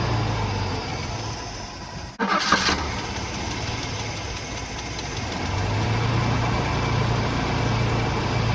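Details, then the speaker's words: 1973 Ford Maverick after sitting 18 years, cranks and catches then settles into a lumpy uneven idle with occasional miss; has a vacuum leak. "Okay, we're done. Success. This thing runs. It's got a vacuum leak."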